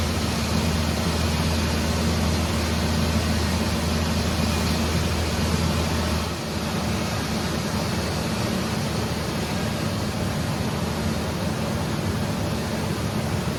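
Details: Ford 4.0 engine first start after engine repair, after reconnecting a missed coil pack wire, not yet at temperature: low even drone at steady idle, no knocks or stumbles; normal idle.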